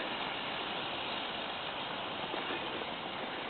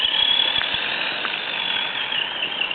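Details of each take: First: FTX Kanyon RC, stock 60T motor swapped for 35T with smaller pinion, freshly greased diffs and gearbox: soft even hiss at speed, quiet with no heat in motor, unlike noisy low-revs struggle in low range; quiet drivetrain at speed. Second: FTX Kanyon RC crawler, stock 60T motor replaced by 35T with smaller pinion, gear mesh correct, diffs and gearbox freshly greased: thin steady high whine with faint irregular ticks at low revs in low range, quieter at speed; cause unknown.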